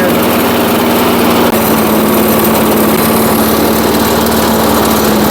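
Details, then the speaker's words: Vintage 1980s Firestone lawnmower revived after sitting outdoors 20 years, running after adding Marvel Mystery Oil and gas: loud, steady high-pitched buzz with even firing, no misses or surging, smoke clearing. "As you can see, it running. The smoke is starting to clear out of it right now a little bit."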